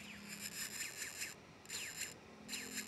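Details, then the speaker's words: Emax Tinyhawk S quad, motor 3 on Betaflight motor test; above about 1400 a high-pitched whine keeps cutting out and restarting; owner suspects a known factory fault, a detached SMD part near motor 3 on the flight controller. "the motor starts and stops spinning all the time and the quads can't fly anymore"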